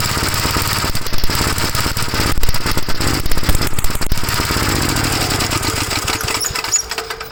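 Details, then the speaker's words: 1956 Gravely L single-cylinder on a hard cold start, before the head is pulled (carburetor ruled out by a swap): loud, uneven chugging about three beats a second that stumbles and fades out. Runs rough cold and struggles to keep running. "Cold start, won't start."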